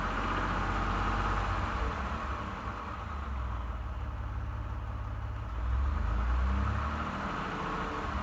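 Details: 29K-mile 2018 Ford F-150, 2nd-gen 3.5 EcoBoost V6, at idle: low rumble with a loose, fairly regular rattle about four times a second. The owner cranks longer to prevent cam phaser startup rattle. Engine knocking at idle, cause unknown.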